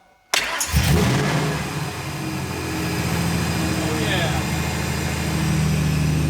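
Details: 2002 Ford SVT Lightning after reconnecting the intake tubes so air is metered through the mass airflow sensor, fixing a vacuum leak: one quick crank, fires straight away and settles into a strong, even idle; running right.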